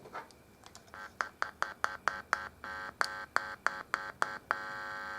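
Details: Scorpion Viper 20 guitar amplifier after repair, heard through headphones with volume up: clean, evenly spaced tone bursts with no hum or crackle; the amp's output works normally.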